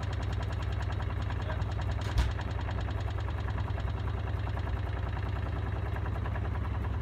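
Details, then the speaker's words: Miele W418 washing machine on final spin, possibly overloaded, with an off-balance load: heavy, steady low thumping drone; loud spin noise, cause unknown. "When I did this before, it took a bit of time to get up to speed. It's coming up, I can hear the noise on it now."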